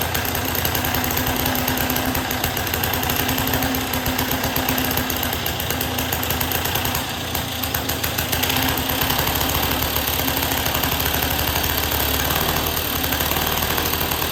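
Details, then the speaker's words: 1958 Lawn Boy 5200 Deluxe two-stroke mower after carburetor cleaning, with good spark and a new fuel line from a temporary fuel source: fast even crackle, steady firing pulses, slight speed drift; running properly. "well it runs okay well there you have it this one wasn't too difficult it runs"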